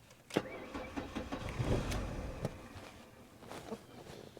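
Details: 1998 Mercury Tracer crank no start: uneven bursts of whirring and clunks starting and stopping, fuel pump under vehicle pulsing, dead battery; fuel pump cutting out from poor battery connections and bad grounds.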